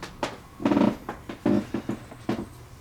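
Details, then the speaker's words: Rare 1950s Fisher-Pierce meter-base photocell switching its lamp on a cloudy day; short uneven mechanical clicks and ticks like an old timer from its relay mechanism, normal operation, though the owner notes rust sometimes makes a bad connection. "But yeah, you can hear the clicking noise it makes. It sounds really, really cool."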